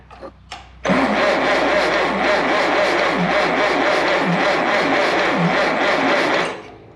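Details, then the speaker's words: 1951/1952 Farmall Cub (9 hp) that sat 15 years; spark good after bad coil, compression readings around 60 and 30; starter grinds about six seconds with an uneven beat, never catches; low uneven compression, owner thinks it needs a rebuild. "oh boy that's not good I think it needs a rebuild oh boy this is getting expensive in a hurry"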